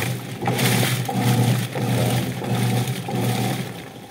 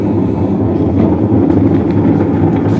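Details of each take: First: Whirlpool LSP780GP 7.8 kg top-load washer with complaints of weak wash and noisy spin, set to wash on normal: rhythmic swishing churn with water filling and soft motor drone; wash noise judged normal. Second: Whirlpool LSP780GP 7.8 kg top-load washer on spin: loud, steady low roar with no banging or heavy wobble; suspected causes are scraping, a loose screw or the motor bearing, not yet confirmed.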